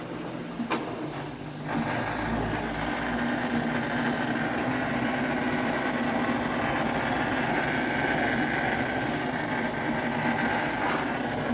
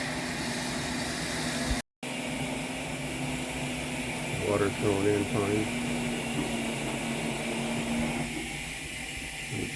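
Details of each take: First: LG WM4200HWA front-load washer, a couple of years old, at the start of a cycle: a constant rough hum with a gritty grinding edge, felt low in the machine. A worn drain pump is to blame, fixed by replacing it with AHA75853803. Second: LG front-load washer WM4200HWA after replacing grinding drain pump with AHA75853803: steady hissing rush of water filling, no grinding or pump whine, faint drip; normal water fill.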